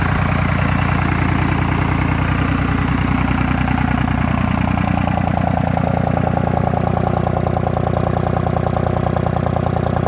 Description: 2nd Gen Dodge Ram Cummins 24V VP44 with 3 cylinder high idle